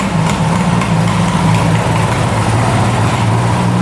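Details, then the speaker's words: 1975 Suzuki GT750 two-stroke triple, sitting since 1986, revived and warming up: a smooth, even idle holding at about 1,000 rpm with no misses, knocks or hunting; idling normally. "Still idling at a grand."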